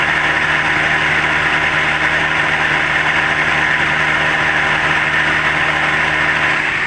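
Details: Toyota Rush whose temperature gauge rose and radiator leaked, radiator cooling fan switched on at mid-gauge temperature: constant whooshing whir with a low steady hum, no speed change; the fan motor sounds rough and tired, a worn unit.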